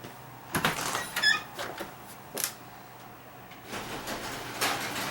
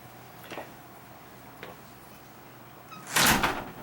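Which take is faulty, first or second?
first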